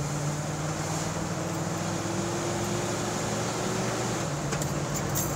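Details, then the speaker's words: 1984 Jeep Wagoneer after brake and vacuum line repairs, recorded in the cab, dead-stop acceleration through second into third to cruising speed: engine note climbs smoothly over road hum with no stumble, bog or stalling; runs great. "Third. And we are at cruising speed with no issues. Runs great."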